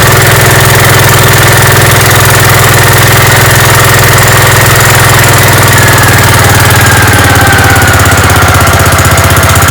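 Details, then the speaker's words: Gravely 5665 single-cylinder engine with a newly installed China carburetor, mixture screws at one and a half turns, runs off load with a steady beat, no misses, hunting or surging; runs healthy. "oh sweet that ran like a champ obviously I got to put it under some load and see how it does then but that sounded that sounded perfect awesome awesome awesome awesome I'm so psyched"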